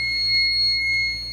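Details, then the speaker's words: Fire alarm panel in alarm after the zone 1 pull station was activated: steady, shrill, continuous tone from the panel's small gray piezo. "And you can see the alarm is going off. And you can hear the piezo flashing."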